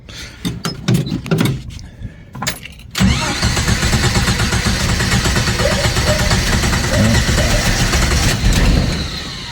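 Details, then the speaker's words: 1990 Jeep YJ 4.2L 5-speed after new mechanical fuel pump: fired then stalled, carburetor bowl likely sucked dry; uneven cranking bursts, catches around three seconds and runs roughly; hard restart, suspected fuel delivery. "oh I guess we sucked all the fuel out of the the bowl so but we don't have a leak here yet so hopefully it'll start back"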